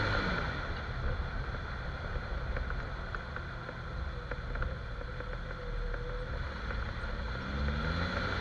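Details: Jeep XJ driving after dry lube was sprayed on the cracked front axle shaft u-joint, the confirmed source of the noise. Steady road and engine drone with no clicks, clunks or squeaks; the front driveline is quiet.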